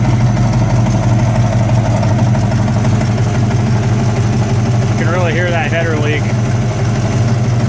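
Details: V8 S10 truck with 355 small block: steady idle with a fast ticking puff on the exhaust pulses; an exhaust header leak.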